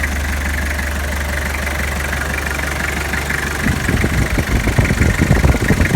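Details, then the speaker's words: 2002 Toyota Hilux diesel with power steering noise, shop blamed the hydraulic pump: steady high squeal over idle, rougher as the wheel is turned; belt slipping on an idler pulley whose bearing had burst and seized. "eu achei uma polia lá embaixo tá tava travado o rolamento tinha estourado"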